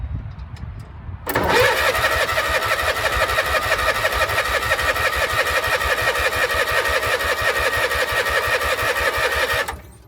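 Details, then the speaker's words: Power King 2417 lawn tractor with starter and fuel filter fitted, weak battery: steady cranking about three turns a second for eight seconds, never catching; no spark because the ignition switch was grounding the coil kill wire. "try to crank it I wasn't running good it would get a little bit of fire but that was it figured out that the ignition switch was killing the coil wire"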